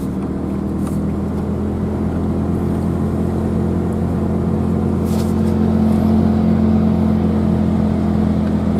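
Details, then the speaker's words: Truck driving after repairs, with replaced wheel bearing that owner thinks had been failing since purchase, shock absorbers still missing; steady even road and engine drone, no whine or rumble — old noise gone, normal driving. "I don't hear that weird noise anymore. Ever since I've owned the truck, there was kind of a noise that, you know, it's a truck that was new to me, I figured was kind of normal. I think that bearing's been going out the whole time. But, sounds a lot better, actually."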